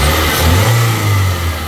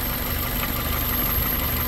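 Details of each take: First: 2001 Toyota Corolla 1.8 with P0301 cylinder 1 misfire, after fixing an air intake leak and old spark plugs: steady even rev, no stumbles, but it intermittently still acts up. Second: 2001 Toyota Corolla 1.8 with P0301 cylinder one misfire, hot engine idling slightly uneven and unsettled; spraying brake cleaner at the intake near cylinder one changes the idle. Owner suspects a damaged intake manifold gasket vacuum leak.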